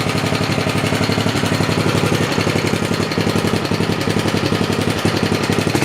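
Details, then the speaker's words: 1969 Briggs and Stratton Model 17 vertical-shaft 7 hp single-cylinder engine, warmed up after years unused, revved to 3,600 rpm by tachometer: fast, steady firing beat, little smoke, no rattle or connecting-rod knock, sounds healthy. "I put this little inductive tachometer up to it and wound it up to 3,600 RPM, and motor sounds good. There's no funny rattling noises or nothing coming from the connectin"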